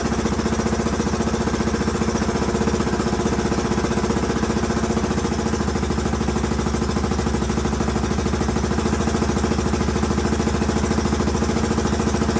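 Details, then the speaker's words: 1981 Honda XL500S single, first start from stone cold with makeshift fuel tank after oil change and air filter: steady, even idle pulse with no misfires or stumbles; healthy, owner hears a possible leak, carb not leaking. "all right well she runs good i haven't had a chance to take her out on the road yet obviously but i at least know it idles and starts up prett"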